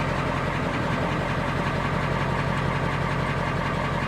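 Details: Old Ford tow truck at a Copart salvage auction, jump-started with a booster pack and idling in neutral: steady, even low rumble with no knocks or misses, pitch constant. The engine is idling normally and healthy.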